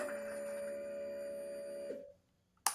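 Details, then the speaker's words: 2022 Royal Enfield Himalayan after fuel pump replacement, key on priming several times to purge air: steady high-pitched electric whir about two seconds, cutting off cleanly; normal fuel pump priming. "Okay, definitely let that prime a few times, get the air out."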